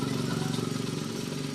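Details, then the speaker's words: Honda Click 125i scooter idling just after repairing a broken wire that caused no-start and battery not charging; steady even putter, no knocks or misses; charging then reached 13.3–13.4 V; normal idle. "Ayan nagkaproblema sa wiring lang may naputol na wire So yun lang yung ganyang problema Ayan umaandar na"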